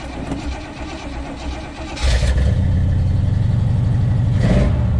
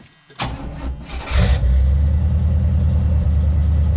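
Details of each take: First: 1977 Oldsmobile Cutlass V8 just after new exhaust gaskets fitted, much quieter under hood: cranks, catches and runs a lumpy uneven idle with choppy beat; two cylinders not firing. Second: 1977 Cutlass after new exhaust gaskets, all cylinders reconnected (ran on two fewer before): quick crank, catches and settles to an even deep idle, no puffing or ticking; much smoother, burning something off, loud alternator noted. Normal start and idle.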